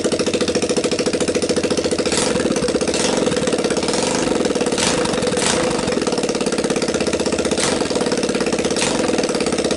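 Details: Linhai Talon 300 4x4 ATV engine bench test outside the frame, previously seized-looking, PZ27 carb taped to intake, 12VDC CDI, choke on, just started: steady, even single-cylinder putter at fast idle, no knocks or rattles; running healthy.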